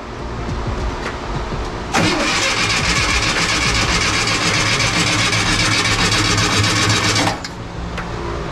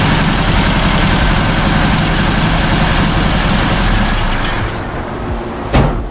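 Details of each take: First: 1967 VW Bus with 1500cc engine, hot Texas summer, fuel primed into carbs: starter churns steadily about five seconds without catching, then quits; crank no start, later fixed by replacing coil and distributor and rotating the distributor. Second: 1967 VW Bus with 1500cc flat-four idling after valve setting, timing, carb adjustment and new distributor, coil and points; steady even low putter with no misses or knocks, running smooth, throttle linkage still needing adjustment.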